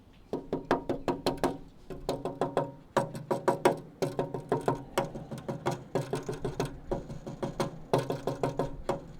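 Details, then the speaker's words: 1969 Dodge Coronet 500 sedan, 318 ci, during frame restoration: a tap test on the front frame metal gives bursts of quick taps, some ringing clearly for solid metal and others dull and flat, revealing rusted-through metal. "Hear the pitch difference. That's that sound is the really easy way to tell if metal's roached. And this is very much toast."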